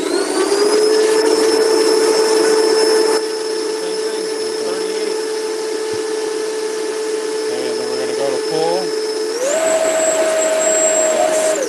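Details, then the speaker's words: 80mm electric ducted fan run from an unbalanced battery pack starting at half throttle: steady high fan whine loses strength after a few seconds, then climbs only partway on more throttle; weak battery causing power sag. "that's a weak battery yeah you can hear it yeah that's that's definitely that's that's the bad battery that's coming out"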